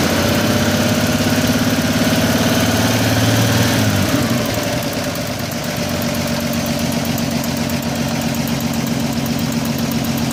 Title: Vacuum leak?